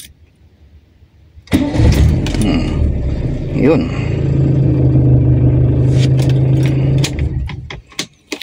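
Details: Toyota Corolla 2E engine, hot restart after a retest for a long-cranking problem (owner suspects the solenoid valve): brief crank, then it catches within a second and settles into a steady, even idle; normal quick hot start.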